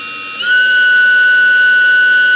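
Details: Model-airplane brushless motor driven by an ESC on an 11.1 V battery, STM32 Nucleo L476RG PI RPM controller commanded to about 7,000 RPM: clean steady high whine near 1.5 kHz settling as it reaches speed; normal.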